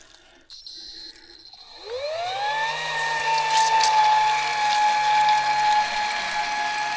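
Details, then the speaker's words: New 750 W water transfer pump at first start: motor spins up with a rising tone, then settles into a steady high whine; unusual start-up noise, owner unsure and guesses a priming mode. "ਮੈਨੂੰ ਨਹੀਂ ਪਤਾ ਕਿ ਇਹ ਸਭ ਕੀ ਸੀ। ਹੋ ਸਕਦਾ ਹੈ ਕਿ ਇਹ ਇੱਕ ਪ੍ਰਾਈਮਿੰਗ ਮੋਡ ਸੀ।"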